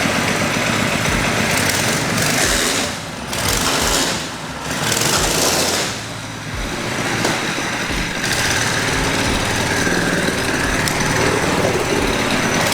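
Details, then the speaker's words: Baja Warrior mini bike build, muffler shield removed, starts right up: loud rapid single-cylinder crackle rising and dipping with throttle blips, firing steadily without cutting out; runs healthy. "well it starts right up you know it sucks i have to take the shield off the muffler so i hope it doesn't melt my seat"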